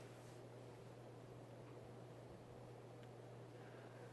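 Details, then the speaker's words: Vintage late-70s/early-80s Hunter (Robbins & Myers) Original 52" ceiling fan, model 22274, 2.5 A oil-bath motor, freshly oiled: very quiet, even low hum with soft airy rush, no ticks or grinding; slight wobble. "it's pretty quiet a little bit of wobble as well I do have oil in there by the way I did make sure to put oil in it"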